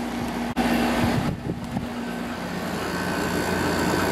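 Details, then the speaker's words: Samsung 6,300 BTU window air conditioner with a Samsung compressor, running in cool mode. Steady low compressor hum under fan rush, even and unbroken; it operates normally, similar to a larger 10,200 BTU Samsung but a little different. "Compressor sounds similar to the bigger one. A little bit different though."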